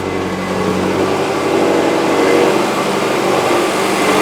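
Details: Subaru with a zero-clearance engine, idling about 15 minutes after timing belt breakage, bent valves and reconditioned heads were repaired; steady, even idle hum with no knocks or ticks, engine running smoothly.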